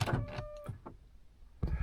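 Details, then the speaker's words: 2010 Honda Odyssey: quick buzzing whir bursts from the rear door lock actuators, then sharp clunks as the locks throw; these cycle normally while the one faulty door fails to lock. Normal door lock actuator operation. "you can hear the locks in the back going off. This lock and the ones in the back are working just fine."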